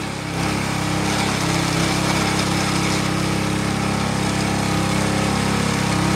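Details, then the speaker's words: Jari sickle bar mower small single-cylinder engine, blade disengaged: fast, steady buzz that never settles lower, running about 500 rpm above normal; high idle speed. "That's 500 RPM more. It'll be all right. Those motors are tough. A little extra RPM."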